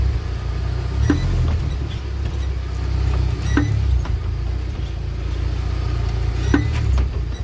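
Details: UAZ Patriot rear axle at steady driving: dull single clunk every two to three seconds over road rumble; loose pinion bearings in the differential, addressed by pinion (tail shank) adjustment.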